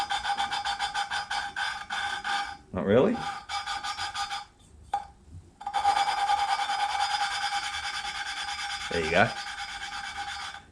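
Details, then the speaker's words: Suzuki SV650 engine rebuild, lapping a front cylinder head inlet valve, GoPro mic: repeated gritty back-and-forth rasping with a squeaky ring, coarse grit still cutting, seat not yet lapped in; tone should go quiet as it cleans up. "you will hear a change of tone of this grit you know from really coarse to down to silent which is kind of what you're chasing right"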